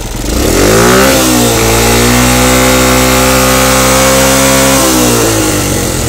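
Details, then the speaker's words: Honda Grand Max motorcycle before repair, losing power with the air filter rubber removed, tops out at 30–40 km/h: at full throttle revs flatten, won't climb, rough and noisy; camshaft suspected, later replaced with rockers. "dia gasnya enggak mau naik nahan dan suara di sini pun berisik padahal ini karet filter udah dicopot ya Tapi tetap nahan"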